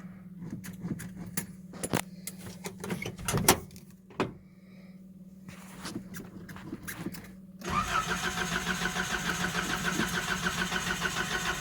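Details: Nissan 720 cold start: starter churns in uneven bursts for several seconds before the engine catches and settles into a steady run; long cranking, hard start, owner suspects the fuel pump needs replacing.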